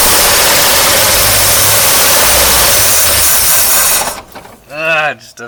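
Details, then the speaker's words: 1953 Oldsmobile Rocket Super 88 barn-find, throttle pushed at the carburetor after accelerator pump adjustment: loud running roar cuts out abruptly into near silence. Stalls when throttle is opened; owner suspects the carburetor and may replace it. "like it [Applause] so weird just you see just die I really think it's a carburetor problem"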